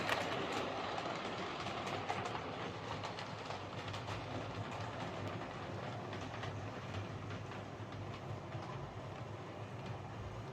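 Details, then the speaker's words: Hornby 08 shunter model locomotive on the layout after repair (connecting rods bent slightly to clear the brakes): steady even rolling, faint rail-joint ticking, no rhythmic rod clicking; clicking fixed, running fine. "so there we go that's as we class await shunter running fine now"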